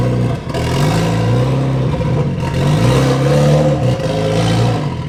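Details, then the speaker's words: Mitsubishi Lancer Evolution X with stock turbo, cold start in chilly morning before ETS turbo kit install; short revs rising and falling with a raspy, puffing edge under the drone from a major exhaust leak mid-car. "Has a major exhaust leak in the center of the car, but that doesn't really affect us in what we're doing."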